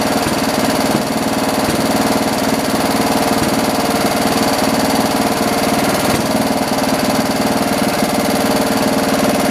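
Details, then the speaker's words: John Deere 112 round-fender lawn tractor, Kohler K181 single-cylinder, running after governor and throttle assembly adjustment and new carburetor; steady even beat holding speed without hunting or surging, idle slightly high; normal running. "so cool i think we need to lower the idle a little bit"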